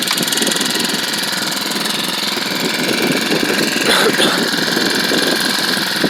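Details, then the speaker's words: SEDEG 1.5 hp air-cooled 4-stroke outboard, about 50 miles on it, idle screw backed off from high factory idle: steady fast single-cylinder patter with no misses or stumbles; normal idle. "it comes made it comes set at a very high idle and um and i didn't like that so i backed that screw up just a little bit for a smaller idle"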